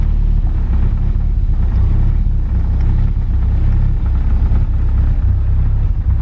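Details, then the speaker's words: Car being remapped to speed density, early start attempts. A low, uneven rumble lumps and stumbles instead of settling. The MAP sensor reads only 1 volt; the owner suspects wiring, a bad sensor or a boost leak. "My vacuum still seems off. I might have a boost leak. So my map sensor is registering only 1 voltage, which means I probably either wired it wrong or it's a bad map sensor."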